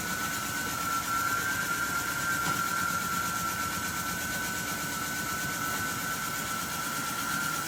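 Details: Javelin 16-4 portable 4-inch auger with high torque kit at full speed, moving about 100 lb of fine cakey dense powder; a steady hum with a constant high whine and smooth rushing churn, no knocks or surging, normal under load.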